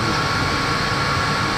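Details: 5 kW diesel air heater in a 28 ft motorhome, turned up from setting 4 to the highest 5.5: constant, steady roar with a faint even whine, no rattles or surging, quiet enough to talk over, normal running at high setting.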